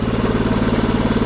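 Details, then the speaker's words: 2007 Yamaha Grizzly ATV after fuel pump replacement and wiring fix: uneven, lumpy single-cylinder idle with slightly loose top-end chatter; very smoky, especially when revved, and the owner says it is headed for a top-end rebuild but still runs. "Yep. Definitely headed for that top end rebuild on this bad boy. But I mean, it still runs and stuff."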